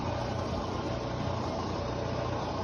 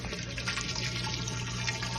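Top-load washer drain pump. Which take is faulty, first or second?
first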